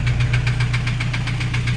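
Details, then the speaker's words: Toyota HiAce 2KD diesel, overhauled only about 5 months earlier, started knocking loudly on a drive: sharp evenly spaced metallic knocks about six a second over idle; injectors tested fine, scored liner letting piston slap. "ngayon diyan ako sa river drive lang lumagitik malakas tunog ito yung itou natin mga boss 5 months pa lang inha to pero ganito na ang tunog ng kanyang sa magagalaw lakas"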